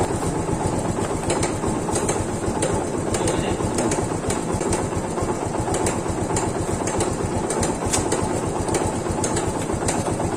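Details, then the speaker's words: Yamaha FZ150 single with noisy cylinder head, before repair; fast light metallic ticking over a steady idle from the top end; suspects include camshaft, cam bearing, tappet clearance, timing chain, guide or tensioner, unconfirmed. "Yan mga brothers, yan po yung ingay ng kanyang head."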